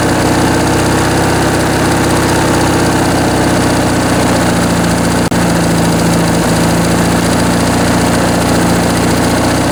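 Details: Briggs & Stratton 19.5 hp opposed twin-cylinder engine from a Craftsman riding mower, bench-tested after sitting and tampering, with carb rebuilt and stripped main jet removed; steady, even idle with constant low drone, no knocks or misses. Normal idle.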